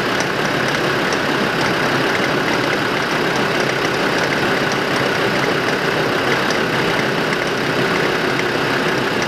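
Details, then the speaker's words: 2005 Land Rover Defender 2.5 turbodiesel, manual, 4WD, 92,000 km, on lift in fourth gear with front right hub refitted: steady drone with faint regular clicks from the front hub; hub itself turns normally, source unconfirmed. "ну треск откуда явно слышно все глушу щелканье идет четко и как бы ступицы при этом ступица крутится нормально"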